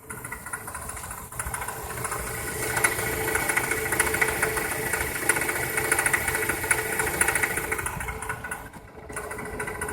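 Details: 1999 Toyota Corolla petrol engine idling with a dry, metallic rattle over the engine note: a rattling timing chain.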